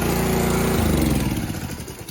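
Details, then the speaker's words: Honda 6HP engine on a Karcher pressure washer that had sat unused for years, running after about six pulls: a quick, even single-cylinder beat that softens and fades; normal running. "take about six drives we got it running all right"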